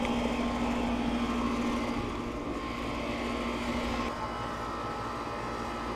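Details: Residential HVAC condenser on an unoccupied house with a no-cooling complaint, running after the thermostat was set to cool: smooth, steady hum with constant low tone and even fan rush, no rattles or buzzing; running normally.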